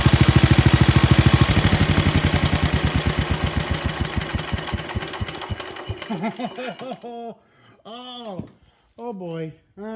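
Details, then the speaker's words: Wheel Horse RS-83 Ride Away Sr. engine after fitting new WICO HX magneto coil, points and condenser, choke held; catches and pops along evenly, slowing steadily as it coasts down, no misses or knocks, ran really good. "actually let my wife drive it first but it ran it ran really good"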